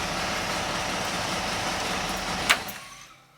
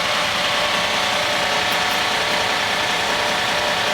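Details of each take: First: GM engine after fitting a Summit Hi-Torque SUM-829105 starter, whose cover had been rubbing; runs smooth and even with no rubbing or scraping before shutdown; rub fixed, normal running. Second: GM small/large block V8 after fitting a Summit Hi-Torque SUM-829105 starter, rotated away from the header, on first start: harsh metallic scraping over the running engine until shutoff; flywheel rubbing the bent flywheel cover, not the pinion.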